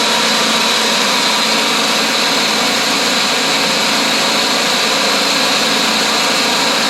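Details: Riding lawn mower after replacing the voltage regulator because it was not charging the battery, expected to charge about 13.8–14 V running: steady, even engine run with high hiss, no misses or knocks; normal running.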